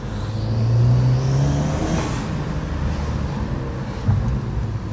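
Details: 2012 VW MK6 GTI under load: high thin whistle rises as engine pulls, fades as revs drop; exhaust manifold leak at a broken stud, fixed by replacing the stud and manifold gasket.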